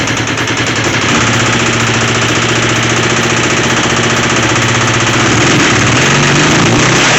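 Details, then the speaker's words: Motorcycle twin after revival: it starts, runs and idles, but a loud, fairly regular metallic knock and rattle of about three or four a second sits over the exhaust; the owner could not tell where it comes from. "There you have it. It runs, starts, idles, and sounds like absolute junk. Yeah, it's got a bad rattle in it. Don't know what it is."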